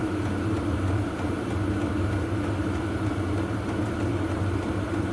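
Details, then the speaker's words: VEVOR 8kW diesel heater on auto mode: steady low roar with smooth fan whoosh, no ticking or surging, putting out plenty of heat; normal running. "that's on the auto say it's running really well and putting out plenty of heat yeah that's good so that go a long way to warming up the workshop"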